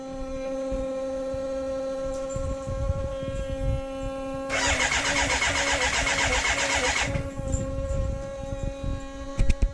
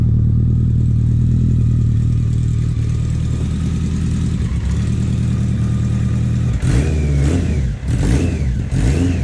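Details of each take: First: BMW K100 café racer build, fuel injected: steady fuel pump hum, then a couple of seconds of fast starter cranking that never catches. Fuel can be smelled. No spark because the kill-switch 12 V positive supply, pin 10 on the ignition unit, was left unconnected. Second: BMW K100 four-cylinder café racer build, just started for the first time after the wiring fix: steady, even idle, then sharp clean throttle blips that rise and fall smoothly. Runs healthy with no knocks or misses.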